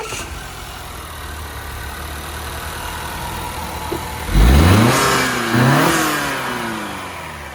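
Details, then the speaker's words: Honda after repair, previously skipping and running bad; one cylinder wall has slight scoring: even steady idle then sharp throttle blips rising and falling cleanly, all cylinders firing; normal idle, needs driving to clean out cylinders. "Oh yeah, she turn like a kid. That's how she's supposed to run."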